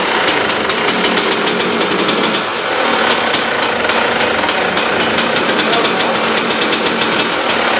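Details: KTM two-stroke dirt bike after a new reed valve, replacing worn, holed petals that let fuel into the airbox bottom: crisp, even crackle with clean rapid firing and steady revs, no misses or bogging; normal healthy running.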